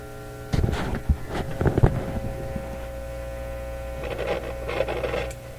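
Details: Nordmende Elektra F13 tube radio: a steady low mains hum sits under sharp knocks and clicks from handling. Output faded after about half an hour of running. The output tube grid read about +1.3 V, and a radio stage rather than the output stage is suspected.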